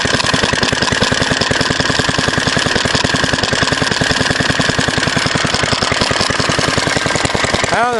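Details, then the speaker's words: Fairbanks Morse Z style D single-cylinder engine, believed 1938, rated about 750 rpm at the cam, running too fast and erratically with a cheap carburetor and worn mixture needle: fast chuffing near 200 beats a minute that surges, wanders and misfires; speed hunting. "this one is run a little too fast usually R's a little slower than this and it jumps around with that cheap little"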